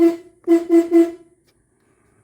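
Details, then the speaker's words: Harbor Freight replacement horn on a Jeep Cherokee XJ, after the old horn failed (clicking heard, fuse and relay probably good), newly installed and grounded: four short, clear, slightly buzzy mid-pitch honks, funky-sounding but working normally. "Sounds kind of funky, but it works."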